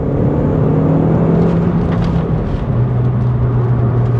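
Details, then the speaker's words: Mk1 Audi TT 1.8T Quattro Sport on a warm day, second gear at 2,500 rpm, full throttle: brief lag then the engine note climbs strongly as boost arrives; turbo, diverter valve and vacuum hoses working normally. "So we're in second gear now. This is how one should perform. That's 2,500 RPM, foot to the floor, lag, boom."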